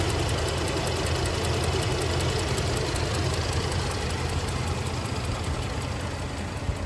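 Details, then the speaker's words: 1979 Cadillac Eldorado Biarritz EFI V8 with new exhaust, idling: even low idle with light, fast ticking of roughly three per second from the eight injectors firing in sequence; normal, smooth-running. "well you can really hear those eight fuel injectors clicking away doing their job firing ing in sequence with this vendex"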